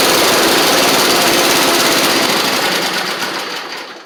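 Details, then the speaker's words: Husqvarna Z4822 zero-turn mower engine: loud, rough rattling run that sags and fades instead of settling, won't quite hold a steady idle; marginally better, about 90 to 95% there. "Alright, ran it for a second. I'll let y'all hear it. It's marginally better. It's not perfect, but I don't know if it's worth going in to fix."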